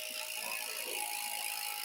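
A wheel spins freely with a light, fast freewheel ticking and no grinding or rumble.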